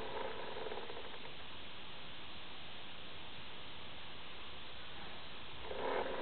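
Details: Acer Aspire 7730G laptop: a steady, loud rushing fan whoosh with no pitch change; abnormal loud cooling fan noise, no clear cause.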